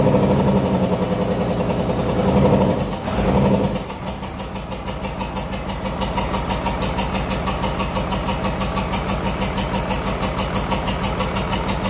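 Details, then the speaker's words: 1994 Dodge 250 12-valve Cummins diesel, reinstalled P-pump; after bleeding each injector line it idles loud and uneven with sharp clattering ticks on every beat, valve set sounds really bad: valve lash out of adjustment, valves to be reset. "I got the air out but it still sounds like the valve sets really bad so I now that I've tested on it I'm going to reset the valves again"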